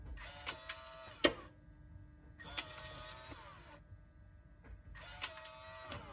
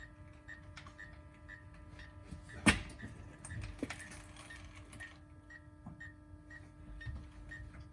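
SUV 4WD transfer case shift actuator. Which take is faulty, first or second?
second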